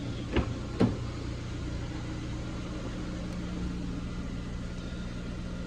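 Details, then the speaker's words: Ford Fiesta Titanium automatic, after the radiator pack and hoses were refitted: two quick cranking clicks, then it catches into a steady, even idle with a low hum and no knocks. Normal start and idle. "I'll just quickly start it to show you. Really running nice. Yeah, it's really coming along, this car now."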